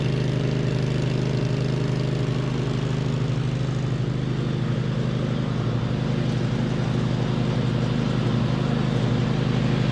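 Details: 2007 MTD/White Outdoors 54-inch zero-turn mower, twin-cylinder, after repairs with charging fixed: steady, even low drone holding constant speed under mowing load, no misses or knocks; normal running.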